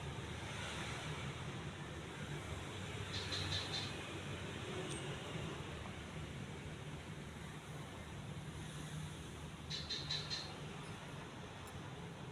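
Quiet, steady whir with an even low hum and no rubbing or ticking: the ceiling fan is running smoothly and sounds healthy.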